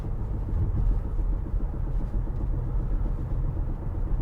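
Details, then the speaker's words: 2011 Chevrolet Impala driven to warm up after sitting a while; low rolling rumble with steady thump repeating with wheel speed, owner suspects flat-spotted tires from sitting: rhythmic thump while driving. "Oh, we got a lump lump lump lump lump. These tires been sitting a while. Wow."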